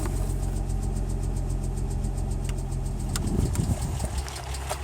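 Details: 2004 Nissan 350z idling after an oil change and oil pressure sensor replacement: even, steady idle with a smooth low rumble and no knocking or ticking.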